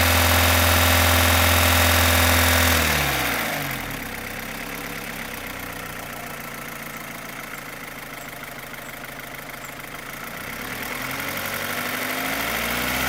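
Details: 2015 Opel Astra H Z16XEP with a loud, fast, even tappet-like top-end tick following revs. It vanishes when cylinders 3–4 are cut off; lifters there were replaced and injectors ruled out. Timing is correct and compression is 18-16-18-18. Owner suspects non-original camshafts or a skimmed head; cause unknown.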